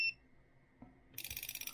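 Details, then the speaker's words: GODIAG GT101 power circuit probe tester driving an automotive relay: short beep, then fast crisp clicking as the relay switches normally under test. "And you can hear the relay clicking. If the relay doesn't click or all these lights aren't flashing, you've either connected it up wrong or the relay is no good."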